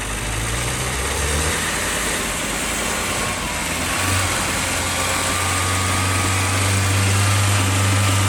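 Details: Skoda Favorit Forum dormant since 2001, first start on cap, rotor, HT leads and plugs taken from another car: released to idle it sags and wanders, nearly stalling; owner blames old fuel still in tank; unstable idle.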